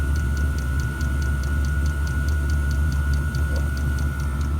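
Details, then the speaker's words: 5kW Chinese diesel heater, outdoors: crisp fuel-pump ticking about four times a second over a fan hum and low burner roar, with air bubbles seen in the fuel line and light smoke. The owner suspects the pump is creating the bubbles; unconfirmed, and the pump has not been replaced. "He says it's the pump. The pump, something to do with magnets shooting up and down, and as it's doing that, it's creating bubbles."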